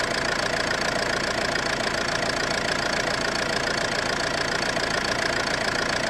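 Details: Ford C-Max at idle: regular knock, roughly three to four a second, riding over the engine; owner suspects the flywheel, source unconfirmed.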